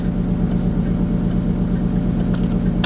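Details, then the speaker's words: At auction, 40 psi oil pressure: uneven, stumbling low idle that throttle does not clear, with the service engine soon light flashing; misfire, cause unknown. "service engine soon light is flashing but she's misfiring and it's not clearing up I was hoping it'd clear up with a little throttle no she's not going to clear up"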